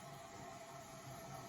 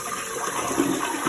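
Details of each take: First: Running toilet tank: constant soft hiss of water trickling in with a faint steady high tone that never shuts off; the tank has a slow leak and keeps refilling, before replacing float and flapper with a Fluidmaster all-in-one kit. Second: Toilet tank after replacing float/fill valve and flapper with a Fluidmaster all-in-one repair kit (had slow leak, hard water): smooth rushing refill with no hiss or trickle, no running afterward; working normally.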